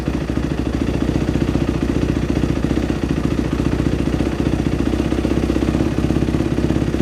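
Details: Dirt bike after a top-end rebuild, refired after the fuel squirt was restored and idle speed adjusted; steady, even popping idle at a slow regular beat with no misfires or stumbles, settling to a clean idle; normal idle.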